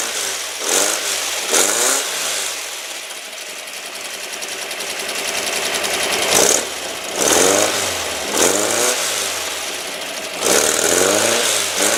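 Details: Rebuilt, upgraded air-cooled engine in a 1970 VW Single Cab truck with a 5.5 lb balanced pulley, still a little cold; it blips up and down from a steady idle, firing crisp and even with no knocks. Healthy running.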